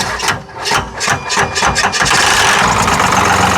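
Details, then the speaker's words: 1995 Cummins 12-valve P-pump dually diesel, long sat in the woods, cold start with starting fluid: uneven cranking thumps, then catches into a rough, knocky clatter; owner says the knock is normal, not confirmed. "I'm going to be honest, that that scared me a little bit. >> Did it? That knocking? That's just letting you know it's there, bud. That's all it's doing."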